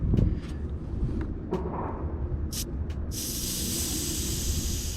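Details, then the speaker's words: Mercury Verado outboard on a triple-engine boat with a crank-no-start, fuel rail valve opened with the tank gauge reading a quarter full: a steady sharp hiss of only air and no fuel, meaning the tank has run dry; fuel starvation, air in the fuel rail. "oh listen to all that air so he ran out of fuel"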